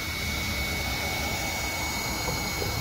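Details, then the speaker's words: ZD Racing Thunder B-10E buggy on 3S: constant high electric whine with no drivetrain noise as the pinion slips again on the motor shaft, which lacks a flat spot; loose pinion gear. "So that tells me the pinion slipped again."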